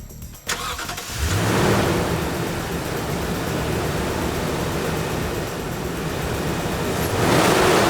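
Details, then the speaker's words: Toyota Tundra with original OEM air intake, before TRD cold air intake install: clean crank, quick catch, smooth settled idle and crisp rev with no rattles; sounds healthy. "Let's hear the engine start with the original air intake."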